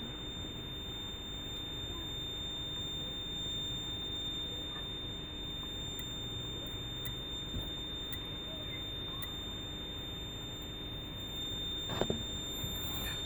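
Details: 1999 Lexus GS300 (2JZ-GE), 257,000 miles: a continuous high-pitched brake warning beep sounds in a quiet cabin with faint ticks, with warning lights on and no brake assist. This is an ABS/brake assist fault, later repaired by replacing the ABS modulator assembly.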